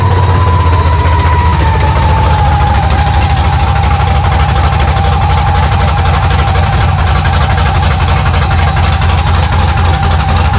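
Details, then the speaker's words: 1970 Monte Carlo, supercharged, first start with open long-tube headers, running very rich, vacuum leaks found: steady deep idle with clean supercharger whine easing as revs settle, no knocks; engine sounds healthy, belt walking on idler noted. "crank it, listen to it run, make sure that the engine sounds healthy, which I think it does"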